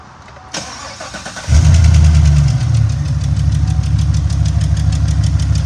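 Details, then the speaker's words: Late-model GM 5.3/6.2 V8 starting and idling after a bent pushrod was replaced: the cylinder six misfire is gone, but a quick, light tick from a collapsed AFM lifter remains. The recommended fix is pulling the heads for an AFM delete with non-AFM lifters. "It came in originally for a cylinder number six misfire, but the lifter is ticking."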